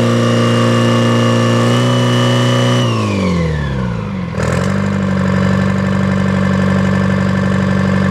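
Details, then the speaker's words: Detroit diesel engine, sat three days in rain, air bled from fuel before start: idle drops in speed midway then settles even and strong while warming up, oil pressure up, charging slightly, no smoke, belts loose; normal idle. "okay there you go got oil pressure that's charging just a little bit I think no smoke belts are loose"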